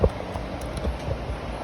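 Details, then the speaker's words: Toyota RAV4 brakes: dull, low knocks in a loose, uneven rhythm each time the brake is applied, from play in the caliper bracket and/or pads. A worn bracket, poor pads or pads ground to fit is suspected. "Every time you hit the brake, they move and they make noise. Sounds like a loose caliper."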